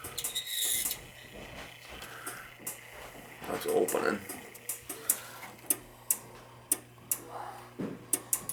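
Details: Dunkirk high-efficiency floor-standing gas boiler: control relay clicks sharply back and forth every half second over a low hum with nothing firing, even with thermostat disconnected; water found, control board probably bad and needing replacement.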